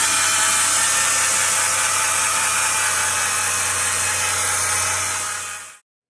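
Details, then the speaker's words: A 2010 Chrysler Town & Country 3.8L V6 at 110,000 miles gives a loud, steady whirring grind with a hiss at idle, two days after purchase. The alternator bearing is failing. "we bought a 2010 Chrysler minivan with the 3.8 liter v6 it ran great it looked great only had a hundred and ten thousand miles on it but two days after owning it we noticed the alternator started to sound like this"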